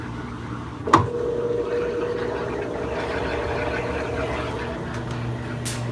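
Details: Easy washing machine after repair of water leak and noise, bearings serviced and coins, sand and debris removed: one soft knock, then steady, even motor hum with no grinding or banging; running smoothly.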